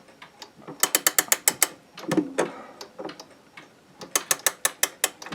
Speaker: so just do it very gently when you hear it clicking it means it's tightening that means it's getting it's been tightened up